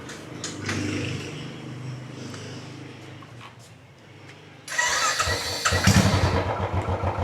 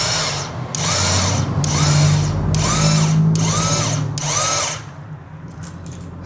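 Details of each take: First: Royal Enfield Classic 350 UCE, 43,000 km, after sprag clutch replacement and oil refill, in neutral: short starter whirr, single catches first try into even thumping idle; starting fixed. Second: Royal Enfield Classic 350 not starting: starter motor spins but one-way sprag clutch bearing is worn and freewheels without engaging; steady motor whine with rapid ticking about three per second, fix is replacing the sprag clutch.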